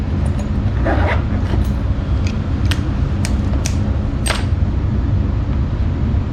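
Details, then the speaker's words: Carrier 58 Series furnace, new ECM blower motor on motor simulator, cold weather: steady heavy airflow rumble with a few light clicks; blower running at high, air-conditioning-like speed, tech suspects air left on. "maybe I left the air on because that sounds like air conditioning speed"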